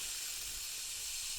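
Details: Bialetti Mukka Express 2-cup cappuccino maker not locking tight: continuous sharp hiss as steam leaks around the upper–lower joint instead of pushing coffee up; nothing reaches the top, dangerous, recurs every trial.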